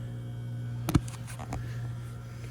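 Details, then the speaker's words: Trane packaged heat pump on a no-heat call at about 30 degrees: steady low electrical hum and clicks with no air rush. The blower gets 240 V but won't run, and the condenser fan is also not running; a bad fan motor rather than a capacitor is suspected. "I don't hear a blower motor."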